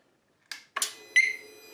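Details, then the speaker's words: 2018–2020 Harley-Davidson Softail: Smart Siren II security alarm just installed and battery reconnected. Short sharp chirps, a quick electronic burst, then a clear high tone, with the double chirp on arming. The alarm is arming normally. "hear the chirp turn it off walk away and you hear the double chirp I'm guessing the alarms gonna work"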